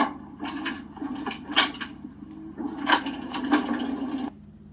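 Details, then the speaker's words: RV slide room brought in while the coach is not level: irregular loud wooden cracking and creaking over a low motor hum as the room binds. "that's the sound of bringing an RV slide in when it's not level"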